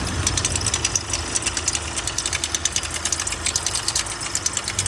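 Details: VW Amarok diesel idling with rough, uneven metallic ticking and rattle, about one knock every two seconds. The high-pressure fuel pump failed, leaking diesel and smoking.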